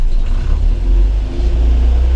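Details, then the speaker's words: 1970 Land Rover 88 Series II survivor, 80,725 on odometer, cold start with temperature gauge on cold after a few throttle pumps; low deep rumble at slightly raised idle, a normal cold fast idle. "can hear it's revving up a little bit. That's because it's obviously cold."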